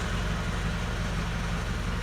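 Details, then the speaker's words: Land Rover Discovery 1 with rebuilt engine: a steady low idle with a fast, even rattle on every engine beat while in gear; the rattle goes away in neutral; likely a gearbox or drivetrain rattle. "when I put in neutral the rattle goes away I put it in gear again you hear that"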